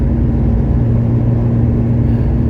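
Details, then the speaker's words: 1970 Porsche 911T flat-six that previously kept stalling, on a rush-hour road test: deep, even rumble, steady and smooth with no knocks, misses or stumbles. Normal running while driving. "Still a lot of work, but man, it runs good. I'm pretty stoked about it."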